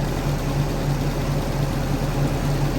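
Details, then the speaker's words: Willys-powered 120/240V 52 A Army skid generator heard from the front, fan pulling air across engine and out through radiator: even steady low drone at idle, no knocks or misfires, no smoke, charging; normal running. "here's the front of it and it runs just like a bulldozer the air blows out towards you so it's pulling air across the engine pulling it through the radiator and out the front"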